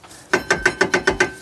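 Seven crisp, evenly spaced ratchet clicks, about seven a second, sharp and consistent; the rear brake adjuster is working as it should.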